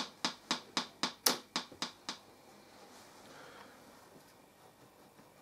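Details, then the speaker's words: TPA3122D2 class D amplifier kit with a replacement IC: about eight sharp pops, roughly four a second, then near silence. Crackling/distorted channel that cleared after a power cycle; cause not found. "I got it hooked into the computer and it sounds distorted as hell"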